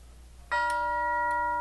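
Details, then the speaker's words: Grandfather clock tube-gong chime after hammer refurbishment, bench test stand, faceplate off: single clean strike, clear ringing tone fading evenly without buzz or rattle; this tube always sounded okay and now sounds even better. "Oh, yeah. That sounds even better than it did before. This one was always okay."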